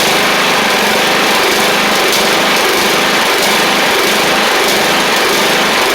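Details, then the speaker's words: Troy-Bilt Pony 42X riding mower with Powermore engine, running after carburetor work and lubing a sticky spring: loud, busy, uneven and unsettled beat; carburetor still needs more cleaning. "I do need to clean the carb a little bit more as you can hear but I'll show you that it drives and cuts while we're here as well"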